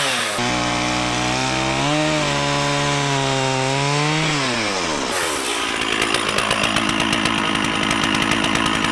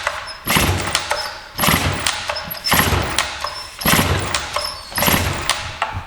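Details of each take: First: Stihl 044 Magnum chainsaw, 20-in Oregon bar, freshly sharpened chain, revived after sitting for years, cutting small wood (helmet GoPro POV): crisp high rev bogs slightly into the cut then pulls hard and steady; runs healthy. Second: Free Stihl 044 Magnum two-stroke chainsaw with a 20-inch Oregon bar and a manual compression release, started after sitting many years: it bursts into life about once a second, surging and dying back unevenly and smoking heavily while burning off the old stale gas.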